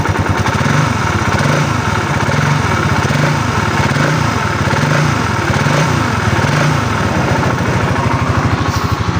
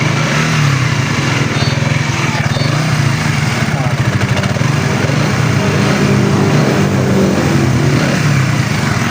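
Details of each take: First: Raider 150 Fi motorcycle idling, not revved, one week after an overhaul elsewhere with parts not replaced and wrong timing: loud busy mechanical clatter, worn crankshaft main bearings; louder when revved. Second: Raider 150 Fi after redoing a faulty overhaul (parts not replaced, reversed parts, wrong timing): smooth quick even firing with gentle throttle blips, no longer the rough knocking-inside sound from before.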